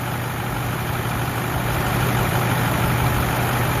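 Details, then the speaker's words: 2009 Ford F250 6.4 Powerstroke diesel, glow plugs run, loping when put in gear: deep idle with an uneven beat about three pulses a second and rising, falling level; rough idle from a faulty #7 fuel injector. "But, you want to watch what happens when I put it in gear? It'll start doing it here in a minute, because it did this yesterday morning. It started loping."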